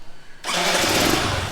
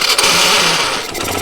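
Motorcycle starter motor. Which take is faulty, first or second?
second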